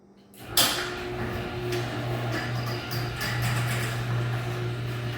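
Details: Garage door after lubricating dry, dirty hinges twice with garage door lubricant: soft clunk start, then steady low opener hum with no screech or squeal.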